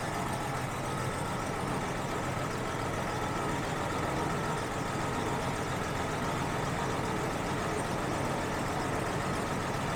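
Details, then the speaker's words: Jaguar XJ6 Series 3 after fuel hose replacement, first start: steady, even engine drone with no clear misfire beat; a loose injector connector missing its small spring was later found causing a miss. "it wasn't running at all and I found the issue that little injector cable there was loose"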